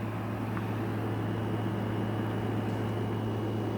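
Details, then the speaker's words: Salvaged window air conditioner, fins power-washed, running: steady low hum with even fan rush, no rattles or squeals; owner suspects extension cord too light; working well, normal running. "yes it's going to work very well"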